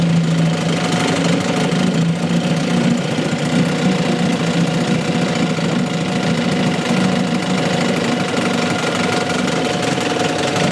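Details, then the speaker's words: 1963 Evinrude 5.5 HP two-stroke outboard after repair, cycled through forward, neutral, reverse and stopped; steady even buzzing with a constant low pulse, no stumbling or misses; normal running, sounds better than before. "neutral reverse [Music] neutal and stop woo don't that sound better"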